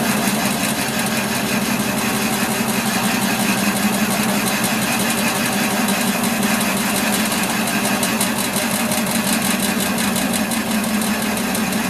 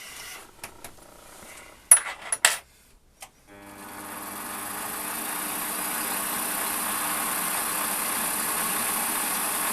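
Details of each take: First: Warco lathe facing a cast-iron block in the four-jaw chuck: steady harsh scraping cut with uneven rubbing edge because the tool sits too high above centre; stopped to reset to centre height. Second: Warco lathe facing a cast-iron block in the four-jaw chuck after resetting tool to centre height: clatter settles into a steady even whir with faint constant tone, no chatter; clean, very smooth facing cut.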